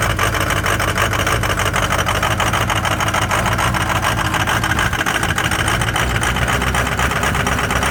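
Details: Cold start of a Ford 6.0 Powerstroke diesel with some bad injectors: uneven, lumpy idle clatter around three beats a second that never settles; rough cold idle.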